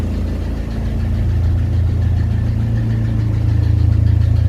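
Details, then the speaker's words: Nissan S15 Silvia SR20DET with Pon cams on the dyno, after fixing swapped inlet camshaft bearing caps that starved cam lobes of oil and stopped variable cam timing at idle: steady four-cylinder idle, even low hum, fan droning, no clunking; normal idle. "noise is coming from the fan. It's not the car going clunk, clunk, clunk, clunk, clunk, clunk, clunk."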